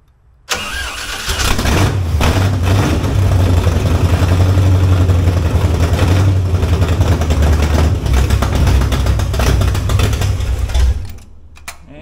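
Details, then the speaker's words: Big-block engine just installed in an old truck, started on gasoline poured in by hand, with a nut driver holding the linkage shut (which did not hold well): it catches at once and burbles deeply for about ten seconds, then dies, probably out of fuel. "it didn't hold it shut very good, did it? But hey, it runs. Probably out of fuel now."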